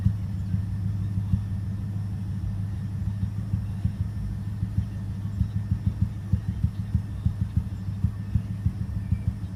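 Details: 2005 BMW 650i 4.8 V8 at idle: low rumble broken by uneven thumps about three a second, a year-long cylinder 5 misfire, worse after about 2 minutes as revs drop; plugs, injectors, coils, VANOS swapped without fix.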